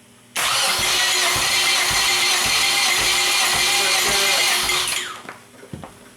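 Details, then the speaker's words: Nissan SR20 engine for Sentra swap, compression test while cranking via starter tapped to battery: even cranking with regular pulses about two per second; just over 125 psi in that cylinder, good. "We're at just over 125 in that cylinder, so it's great."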